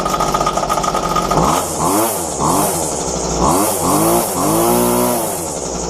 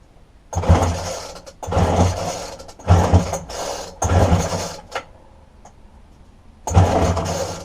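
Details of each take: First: Roadside-found McCulloch two-stroke strimmer after fuel line replacement, restarted once cooled down. It revs up and down in clean bursts, picking up and settling evenly; the fuel lines were the only fault. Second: Dumped McCulloch strimmer with a broken fuel line from the tank to the carburetor, fuel poured into the spark plug hole: five short pull-cord bursts about a second apart and it never catches; no start, as it gets no fuel.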